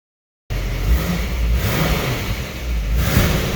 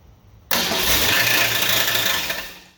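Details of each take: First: Rebuilt 1966 Ford Mustang 289 V8 after first start, running outside at about 25 degrees with good oil pressure. It blips up and drops back smoothly under background music, revving cleanly and sounding healthy. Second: Rebuilt 1966 Ford Mustang 289 V8 at first start after rebuild: engine catches and runs with a harsh, high-pitched grinding whir over it, the starter gear hanging up and not disengaging, still spinning.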